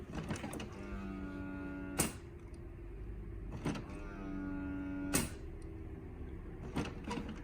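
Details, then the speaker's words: HP OfficeJet Pro 8100 running level 3 printhead cleaning (power held, X twice, paper three times) with button blinking; motor whirring rising and falling, each ending in a sharp clack about every 1.5 s, normal cycle. "You hear this sound. And the button will blink too. You must wait while head is cleaning."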